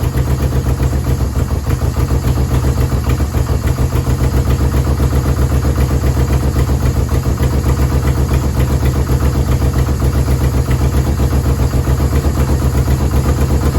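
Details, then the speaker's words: Yamaha VMAX 1200 V4, sat about 5 years: steady, lumpy idle with about four pulses a second, running only on choke and dying with choke off, no smoke; owner suspects clogged carburetor jets, needs cleaning. "Running on choke, so I think the carburetor needs to be clean. It's running. No smoke. As soon as I put the choke off, he dies."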